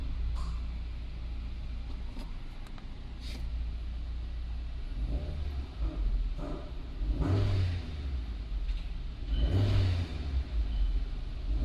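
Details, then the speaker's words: Vehicle with P0340 camshaft position sensor circuit fault, long cranking and lack of power, after the repair: smooth idle rumble, then a few clean revs from idle rising and falling evenly, no misfire; Hall effect cam signal restored on the scope. "I also go to the live data and I just rev the engine while it's in the idle position, and this is the waveform that you would expect to see."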